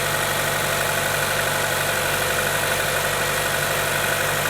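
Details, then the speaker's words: GM Ecotec 1.4L turbo (Cruze) with P0171 lean code, engine idling, listening at the valve-cover PCV orifice port: constant airy hiss of air being drawn in; paper test confirms vacuum, torn PCV diaphragm leaking vacuum. "I can feel like a slight vacuum. Let me take a piece of paper. So, we can already hear the sound when we put our finger over there."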